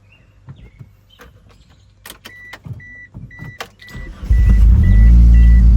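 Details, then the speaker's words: 2G DSM Eclipse after fixing cylinders 2 and 3 misfire by replacing a faulty plastic module: chimes and clicks, engine catches and settles into a steady, even idle with no stumble; normal running. "So, it's been about a week. Got the car running right, but there's one last thing I got to take care of."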